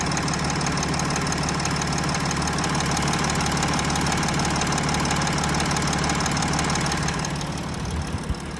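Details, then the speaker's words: Audi Q7: idle about 500 rpm with climate control off is quiet; switching climate on raises idle to 950 rpm and a regular knock, about three per second, appears; knock goes away when revved; cause undiagnosed. "Включаем климат, обороты поднимаются на 950. Появляется стук."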